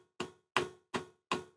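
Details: Webasto water coolant heater on a DIY replacement controller ECU, startup with glow plug on, water pump on, fan at lowest setting about 15: crisp dry ticks about every third of a second; the fuel dosing pump is pulsing normally.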